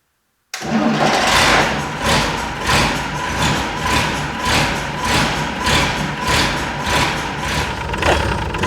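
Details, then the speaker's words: Unimog 416 diesel, rough rescued scrap truck being test-started: it catches, then the idle surges up and down about every second and a half in a steady rolling hunt; owner notes his other 416 does the same; cause not identified. "Bit of a rolling idle this time. Kind of funny. My other 416 does the exact same thing."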